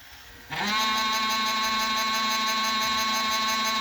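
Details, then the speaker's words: Emerson VCR765 (Orion-made, c. 1990) on fast forward: steady piercing squeal/scraping from the tape drive mechanism; mechanism feels stiff, cause unconfirmed. "pretty sure that's not the tape but let's try another one just to be certain I'm thinking it's something in here"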